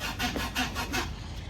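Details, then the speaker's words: Mitsubishi 3000GT while driving: rhythmic scraping squeaks about three a second with the car's movement. Caused by a damaged rear subframe mount with a crooked bolt; the subframe is being replaced. "It's still on there. I mean, the bolt is crooked, but it's still on there. And I've been driving it and it's fine, but it just makes a squeaking noise."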